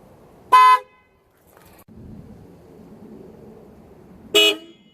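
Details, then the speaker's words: Newly installed Sickspeed supertone blast horns replacing a failing original horn: two short, loud horn blasts with bright, steady tone and clean cutoff, strong and healthy, comparable to an F-150 horn. "That's it, guys. I'm very impressed with the product. I'm finally glad I got a regular horn working again."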